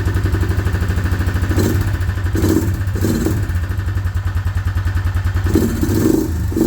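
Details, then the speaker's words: Suzuki Vinson 500 quad, bought cheap, before repair: it wouldn't crank at first, then blew coolant out of the cylinder with the plug out. It runs rough and lumpy with uneven clatter at idle. The head is expected to come off; a knock is suspected, and a loose chain sprocket is probably rattling. "pull had the plug out it was blown cooling out of the cylinder that's not a good sign"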